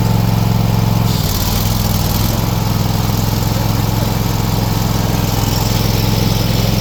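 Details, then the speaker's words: AL-KO T 22 110.4 HDH-A V2 ride-on mower with a 22 hp 7002 engine, running with the blades engaged: steady, even single-pitch drone with the cutter blades whirring underneath, no misses or knocks; healthy. "Og så skal vi høre knivene. Hold nu op, det lyder godt det der."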